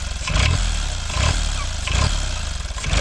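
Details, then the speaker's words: Kubota L722 three-cylinder diesel (about 0.8 L) screams at high revs with rhythmic surges right after starting. It is a diesel runaway with no throttle control, and the levers do nothing. Owner suspects the injection pump plunger is stuck at full. "So, as you saw earlier in the video, it was as soon as I started the engine, it revved uncontrollably, and I had no throttle control."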